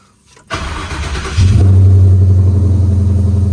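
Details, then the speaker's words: 1963 Ford Galaxie wagon V8 cold start: brief crank, then catches into a strong, even, elevated fast idle; as it warms the idle drops about 200 rpm and gets quieter, which the owner finds odd; normal cold-start fast idle. "no still the same weird when it starts to warm up and the idle goes down that's 12200 but it gets quiet as the idle goes down it almost sounds like servos are closing and making it quieter"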